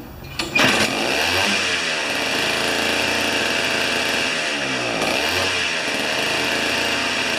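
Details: Old two-stroke snow-thrower revived after sitting for years, on 40:1 mix with old fuel, restarting after sitting: catches at once after a pull, steady high buzzy note with brief throttle dip and recovery; runs fine.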